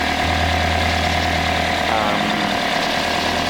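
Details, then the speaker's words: Toyota (Altis) engine after replacing the alternator rectifier diode, before an idle relearn: low, slightly shaky idle around 750 rpm with uneven rhythm, lower than normal. "So napansin ko nung napalitan siya, nagkaroon ng parang low idle siya, tsaka hindi maayos yung parang minor niya. Mababa yung idle, tapos yung RPM parang nasa 750 lang."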